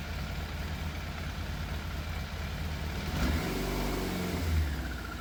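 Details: Yamaha FZ750 four-cylinder motorcycle, 41,000 miles, fire-damaged, choke fully off: idle lumpy and uneven, beat stumbling instead of smooth; seems to miss, middle two cylinders' exhausts cooler than outer two. Idle hard to balance, sometimes cuts out; cause unconfirmed.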